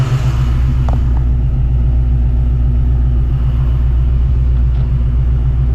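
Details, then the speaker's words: 1987 Saleen Mustang 347 V8 after fitting a new balancer, water pump possibly leaking: deep, even rumble, speed steady, no knocks or shake. Temperature, oil pressure and vacuum good; smooth, well-balanced normal idle. "Temperature's good. Oil pressure is good. Vacuum's good."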